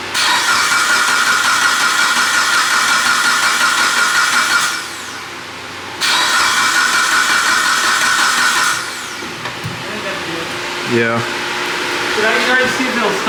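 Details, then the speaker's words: Mitsubishi Evo 9 with freshly built motor and new turbo setup: starter spins in steady whirring bursts with pauses, no firing, priming oil pressure through the turbo before first start. "all right so lzo finished putting oil he's going a prime the oil make sure oil pressure goes through the turbo and everything's good before we actually fire it"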